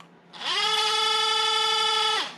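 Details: Used failed Bosch electric auxiliary water pump from a Mercedes Sprinter T1N, removed and bench-run: motor spins up quickly to a steady high whine, holds about two seconds, winds down cleanly; runs normally.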